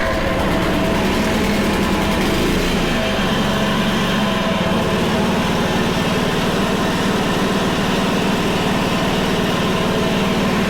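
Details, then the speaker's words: Honda HRC216 commercial mower, stored, started in cold weather: small single-cylinder starts, choke comes off, holds a steady even idle with no surging; still smoking from residue. "huh well it idles it starts choke comes off so far so good"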